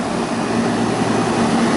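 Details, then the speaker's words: York AC unit after replacing the 3/4 hp condenser fan motor: steady, even whoosh with a constant low hum and no knocking, rubbing or wobble; new motor running smoothly, condenser dirty. "Okay, the motor's working good."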